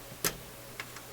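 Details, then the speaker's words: Philips console stereo tube receiver, one speaker connected on the faulty channel: sporadic sharp pops and crackles over quiet background hiss from the output stage; crackle was later cured by reversing the output tubes, sockets also suspected. "let's give it a little bit of time comes cracking so we'll go back to the"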